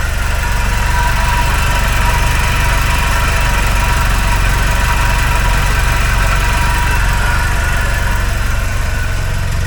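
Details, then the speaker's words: 1976 Alfa Romeo Spider revived after 24 years parked, cold snowy day: low lumpy idle with a roughly four-per-second pulse and slightly uneven beat; owner unsure if misfiring, mixture sounds off. "I'm not sure if it's misfiring or not it mixture doesn't sound exactly right um but it's uh it's a start"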